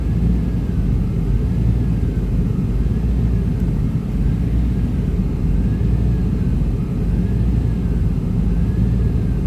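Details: 1995 Chevy Tahoe K-series 5.7L V8 rough idle: deep lumpy rumble; scan shows throttle position sensor not communicating, truck won't shift, TPS replaced twice; owner suspects wiring; smoke seen near passenger-side headers.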